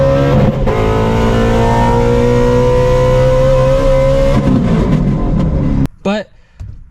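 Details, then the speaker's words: Clutch slipping under load on a 900 hp Shelby GT350 (S550 Mustang) with the stock clutch: the engine note climbs under hard throttle and revs flare ahead of the pull in second and third, with resistance on the shifts into third and fourth. "You can hear it slipping in second gear and third gear. Obviously trying to go ahead and shift into third and shift into fourth depth."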